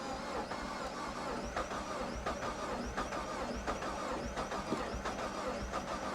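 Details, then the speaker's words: Copart salvage Pontiac G5 GT listed as a non-runner with no coolant and an empty fuel gauge: starter cranks with an uneven beat and never fires; cranks but won't start, uneven compression and a blown head gasket suspected, or simply out of gas. "when you hear it cranking though does it not sound like uneven compression"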